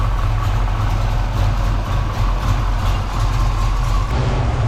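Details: Foxbody Mustang V8 after a fuel system upgrade, with the battery reset so the computer relearns from the old ethanol tune: a deep, steady rumble with an even beat and no misses or ticks. A clean idle.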